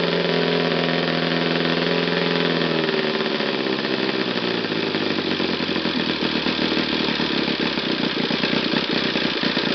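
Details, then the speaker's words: Bench test run of a used, eBay-bought Saito FA60T, Saito's smallest flat-twin model engine. Its crisp, even buzzy note slides lower as revs drop, then settles into a steady rapid patter. It tunes cleanly from lows to highest RPM with minimal adjustment, so it runs normally. "I think the initial test run of Saito FA60T was very successful. So engines performs very well and tunes from the lows to the highest RPM without any problem."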